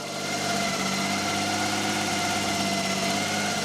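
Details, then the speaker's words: 1979 BMW E12 520 barn find: smooth, even idle with a steady hum, no knocks or hunting, somewhat smoky, possibly condensation. Normal idle. "oh this sounds so sweet so it's a bit"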